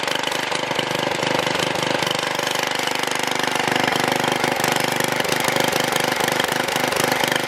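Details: Troy-Bilt Super Bronco tiller, bought locked up, possibly stuck reels, now repaired with exhaust warm: loud, even, fast firing with a steady beat and no knocks or misses; normal running.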